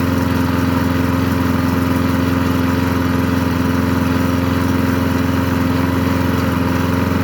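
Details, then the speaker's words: Craftsman 22-inch push mower, Briggs & Stratton 6.0 engine, after carburetor cleaning, float bowl not dripping: steady, even beat at constant speed with no surging or stumbling, little smoke; runs properly. "not just that actually worked pretty well"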